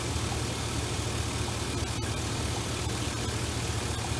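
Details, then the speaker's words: Engine idles steadily and evenly with a smooth low V8 rumble and no misses, after fouled, fuel-wet spark plugs on cylinders 1, 3 and 6 were replaced to fix a long-running misfire; normal idle. "alright sounds pretty good oh yeah let's check it"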